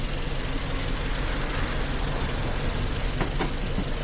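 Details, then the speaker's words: 2012 Hyundai Tucson (ix35 body), 2.0 four-cylinder DOHC, automatic, 93,000 km: steady but rough idle with an uneven low thump through the rumble, one cylinder misfiring; injector or spark plug suspected, not confirmed. "tá falhando um cilindro dá para ver no no no bater do motor"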